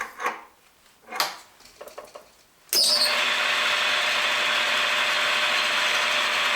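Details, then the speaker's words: Montgomery Ward Logan lathe 04LC-700A after new Dayco 5070405 serpentine belt, belt slightly loosened to ease squeak: handling knocks, then smooth even hum, no slapping; much quieter, normal running. "a lot quieter that's definitely good"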